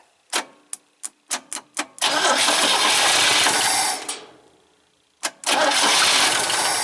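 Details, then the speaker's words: 1971 International Scout 800 with AMC 232 and BW35 transmission, starter jumped because of an ignition switch problem: a few clicks, then long cranking bursts with no firing. Cranks but won't start; suspected no fuel and not full power to the coil. "Sounds like there probably another problem here where we're not getting full power to the coil."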